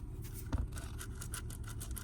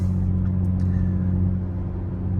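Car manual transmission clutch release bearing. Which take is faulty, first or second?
first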